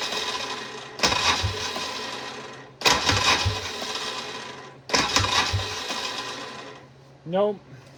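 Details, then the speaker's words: 1994 Polaris two-stroke 4x4 quad, long-sitting, on a partly charged booster pack, pull starter broken; three short starter bursts that die without catching, slow cranking suggesting a tired battery. "not going to work and if you're wondering why I do not pull start it that is because the pole start is not there the pole starter is broken so you can only start this thing on the switch the starter"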